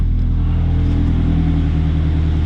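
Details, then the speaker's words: Salvaged 2013 Scion FR-S 2.0L Subaru boxer, automatic, idling, recorded from outside the car: smooth, even low hum with steady firing beat, no knocks, ticks or misses; running extremely well. "maybe there we go there is the subaru motor running extremely well i'm gonna step out here so you guys can hear it"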